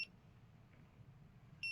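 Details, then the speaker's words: Lister Liberty battery horse clippers during battery pack replacement: meter continuity tone sounds briefly, drops out over a second as the wire is flexed, then returns; only a few strands left intact, wire to be replaced. "and then it's cutting out see so it's never a good sign if a wire does that I think we're gonna have to replace this wire"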